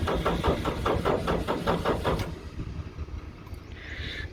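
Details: Racing car cold-started on key in neutral after sitting unstarted since 2017; lumpy uneven pulses for a couple of seconds then fading out — rough, unstable idle from long storage.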